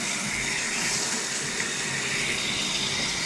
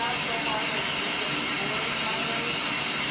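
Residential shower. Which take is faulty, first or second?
second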